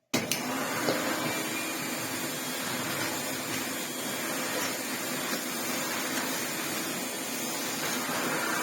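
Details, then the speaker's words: 1987 Hoover Sensotronic System 20 vacuum cleaner running at low speed; continuous gritty grinding under the motor hiss, fine at normal speed: worn motor bearing. "On a lower speed, obviously, you can hear the bearing grind away. But on a normal speed, it's lovely."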